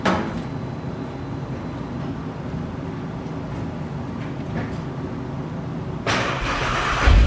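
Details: Audi 3.2 V6 after alternator replacement, battery charged overnight; quiet, then the engine fires and settles to a steady, even idle with no misses or knocking; reads 14 volts, charging fixed.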